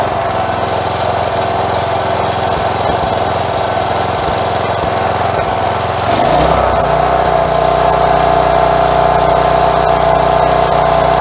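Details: Craftsman 4 hp edger fitted with a new carb after sand was found in the old one, possible bowl gasket leak: the small single runs smooth and even at a steady higher speed with no surging.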